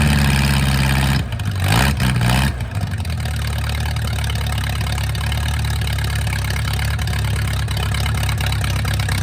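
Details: Mercruiser 470 3.7L carbureted marine engine, first run in 16 years, automatic choke not working properly: brief stumble as it catches, then steady even low idle with no knocking; normal idle.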